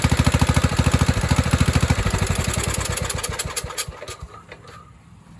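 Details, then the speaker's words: 1997 Craftsman riding mower, 16 hp Kohler Command single-cylinder, running rich: carb spray into the intake makes the steady thump falter and nearly stall as extra fuel floods it; owner also wonders about a hissing head gasket leak. "it feel like if it tries to kill the mower the instant you spray this in there that means it's running rich because it's getting too much fuel so if you feed it even more fuel it floods it and it tries to kill it"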